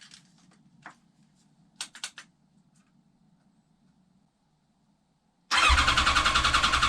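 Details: 1989 Kawasaki ZX10B after full restoration, first start once oil, coolant and fuel were in: quiet cranking, then the engine catches abruptly and runs with a fast, even pulse, no leaks; healthy first start, carb balance may be needed later.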